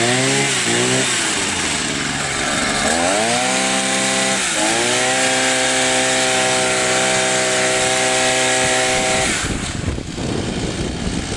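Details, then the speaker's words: Two-stroke trimmer after replacing a damaged starter-side crankshaft seal that caused crankcase air leak: revs cleanly, then holds a steady, even high buzz. Runs well, no adjustment needed. "не надо настраивать все работает отлично"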